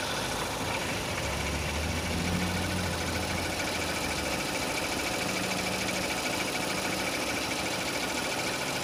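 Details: 2006 Renault Scenic II, K4M 1.6 with automatic, 202,000 km: warm idle with an uneven low knock underneath, a couple of beats per second; knock appeared as the engine warmed, replacing a different cold-engine sound, cause unclear.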